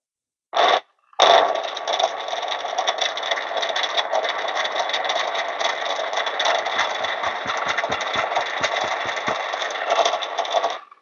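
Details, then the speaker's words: DF64P grinder with stock burrs, set near finest, grinding a 17 g dose: steady whirring grind, then light irregular ticks near the end as one bean spins inside without being ground; bean popcorning. "there's one bean that's actually spinning inside and it is not grinding. Okay. Okay, finally it's done."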